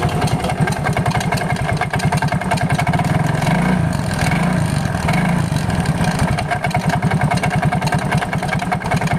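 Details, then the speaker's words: Yamaha Mio GT scooter idling before teardown, engine light blinking code 42 (speed sensor): rough fast scraping churn from the CVT side, sounding near the engine centre with friction noise; CVT fault suspected. "suaranya sih hampir kayak di bagian tengah mesin tapi ada suara kayak gesek juga"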